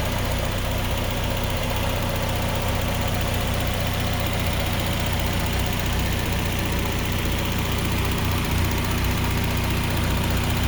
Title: idle with no lifter tick 6 25 25